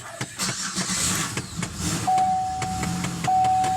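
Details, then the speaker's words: Van, starter test cranked with no foot on the throttle: steady cranking with even compression pulses but the engine never catches; this van won't start without a touch of gas. "Yeah, see, this car, if you don't have your foot on the gas just a tad bit, it'll do that every time. It won't start ever."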